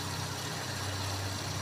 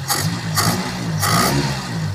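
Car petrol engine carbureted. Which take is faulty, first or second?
second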